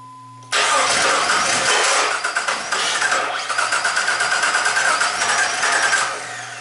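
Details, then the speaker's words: Jeep Liberty after engine swap and replaced cam gear, crank no start: starter cranks evenly about six seconds, engine never catches; scope shows spark after compression peak from crank sensor reading a different crank signal. "let's see where our spark is occurring now nowhere near where to F probably you probably you're right about that Al yep there's a spark right there that's wrong plug to the crank sensor could be the crank senso"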